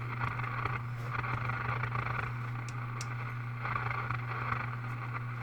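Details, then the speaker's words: RCA Model 641 tube radio at first power-up, 6.3 V heaters on, no antenna. A steady low hum under crackly hissing static that shifts as the dial turns, with a slight heterodyne whistle and no station pulled in. "I don't expect to get a AM station there's a little hetr [Laughter] dining I'm tuning the knob to see if anything's going to happen"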